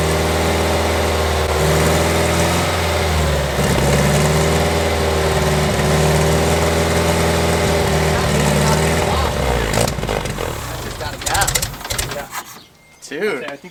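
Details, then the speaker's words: 1969 Lotus Europa barn find, unrun for 15 years, water blown from exhaust header at start: even steady idle with smooth regular pulse, no misses or knocks; engine idles healthy. "it's alive it's alive yes that is awesome it runs yes dude all right Tom well I'll let you I'll let you choose any cars I buy from here on out pretty nicely she's running pretty good there"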